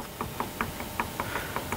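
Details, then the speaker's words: Yamaha Majesty 400 scooter engine run without checking oil level, with seized piston and heat scoring in the cylinder; hand-turned, it gives sharp, evenly spaced metallic knocks about five a second from a dead crankshaft. "Коленвал погиб."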